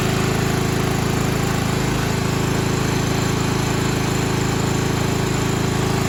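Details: 1995 Craftsman LT4000 lawn tractor, single-cylinder engine, after sump gasket replacement, throttle picked up: steady thumping about four beats a second with a tinny buzz on each beat. A loose panel near the hood is rattling; engine running nice.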